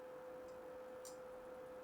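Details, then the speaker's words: PlayStation 2 failing to read a disc: quarter-rotation spins, spin-up and faint sparse clicks over a steady hum before it drops to the system menu. Cleaning the laser lens was the fix. "So, the disc is doing its like quarter rotation spins. It'll spin up. You can hear some clicking going"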